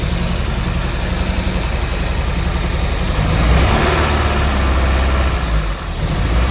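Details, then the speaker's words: Peugeot 205 GTI 1.6 under restoration, after starter issue addressed by cleaning earths and tidying fuse board: fires up and settles into steady even run, gentle rise with a touch of gas; running healthily. "start putting the dash back together because it's firing up no problem again."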